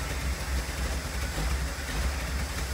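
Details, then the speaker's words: 1981 Pierre Cardin Evolution 1 in shop: low, uneven, wavering idle that never settles; staying running but rough and very rich, smoking. Distributor found very loose; cause not yet pinned down. "yeah it's actually staying running now but it's like poo we definitely need to chase down woo that is"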